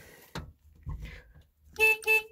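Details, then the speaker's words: 1979 Honda Civic 1200, original, with the odometer reading 17,000 and likely about 117,000 miles; two short, clear toots with a steady bright tone and no rasp, the horn working normally. "now the locks they all work the the horn it works the lights they work"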